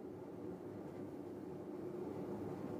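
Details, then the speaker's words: Kenmore Oasis top-load washer during spin: a steady, coarse low rumble, the dry, gritty roar of worn tub bearings. "audio inspection I can hear the bearings are dry in rotation"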